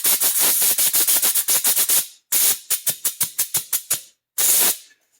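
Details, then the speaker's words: Hitachi NV45AB2 roofing nailer, trigger hisses air when pushed: repeated sharp hissing bursts, a run of puffs then a longer hiss, air leaking at the swivel fitting; cause unconfirmed. "This one has a leak down in the swivel. Don't know if you can hear it. But yeah, that's leaking."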